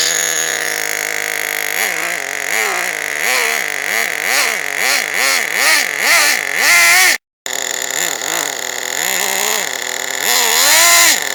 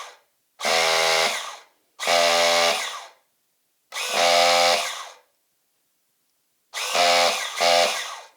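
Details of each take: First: Team Associated RC10GT nitro RC car, first start after slipper clutch work: high-pitched revving in repeated surges that sag and recover about every half second, as if dragging. Owner suspects the slipper clutch is too tight or slipping. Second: Team Associated RC10GT nitro engine on a starter box with reversed polarity, no spark plug, fuel or oil: four clean, steady motor-whine bursts about a second each turning the engine over smoothly; starter working properly.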